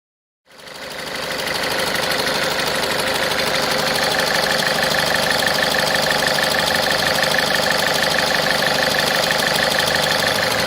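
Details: Ford Fiesta 1.4 TDCi diesel at idle: steady, even engine rattle about three times a second, diagnosed as a defective pulley (before fix).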